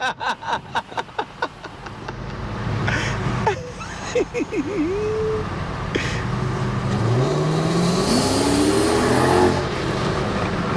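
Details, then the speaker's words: Project bakkie with a newly fitted V8 engine and exhaust, on its first test drive accelerating hard with wheelspin: deep V8 burble climbs smoothly with revs, no misfire, rattle or leak ticking; healthy exhaust under acceleration. "Yo, this thing sounds lekker, man. This is what we were hoping this Bakkie would sound like."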